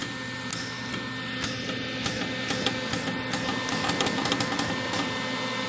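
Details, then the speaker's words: Lincoln Electric Weld-Pak 125 HD converted from flux core to MIG with added 12V brass gas solenoid valve, trigger pulled; sharp crisp clicks in irregular bursts over faint hum. Solenoid clicking normally. "I hope you can hear that relay clicking."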